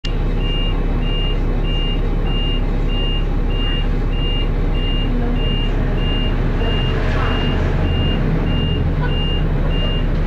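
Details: Dennis Arrow diesel bus with a slipping ZF gearbox: a sharp high beep repeats about twice a second over the idle; dashboard warning alarm, suspected engine overheating, not confirmed.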